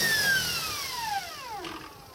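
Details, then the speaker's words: Small Kaylor adaptor/motor for a VW on a modified Kelly SepEx regen controller, casing heats fast, no internal fan, run up fast then regen braked: high whine sweeps steeply down and dies within about 1.5 s; normal regen stop. "break so this is how that's how quick it stops with the regen"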